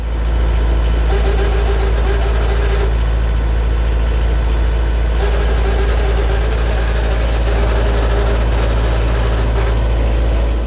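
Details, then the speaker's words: Boat's diesel engine at steady idle, engine room cover off, with a mid-pitched whine cutting in and out every few seconds; intermittent, erratic and worsening noise first thought to be fan belt, alternator or idler pulley, found to be failing water pump bearing. "It's intermittent. It's erratic, it used to come and go, but it's definitely a very annoying noise and it's getting worse."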